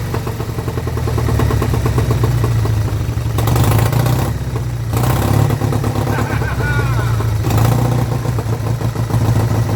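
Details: Vintage Douglas engine, first run after 40 years under a hedge, carburettor jets re-cleaned, mixture screw adjusted an eighth turn at a time, no silencer fitted: it runs on its own with a steady low putter that holds its pace; normal running.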